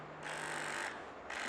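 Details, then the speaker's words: Electronic throttle body driven by the idle actuator function of an injection test unit: two short whirring bursts as the throttle plate opens and shuts, a crisp, even actuator response; normal operation. "então eu tenho que selecionar o correto atuador motor da marcha lenta então aqui por ser eletrônico agora ele vai acioná-la"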